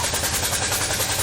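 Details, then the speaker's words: C4 Corvette V8 running after a no-spark repair: a fast, sharp puffing tick rides on the exhaust note, a loud exhaust leak that the owner thinks caused the nearby melted plug wire; unsure whether accident damage broke something. "there's clearly an a loud exhaust leak I think this was probably done by exhaust"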